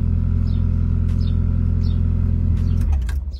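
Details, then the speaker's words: Mazda Miata after exhaust line replacement, cold engine at low revs: deep, even rumble with steady pulse, no rubbing or rattle before it dies down; much better and raspier than before. Normal exhaust note. "Le son de la voiture est beaucoup mieux, beaucoup plus rauque."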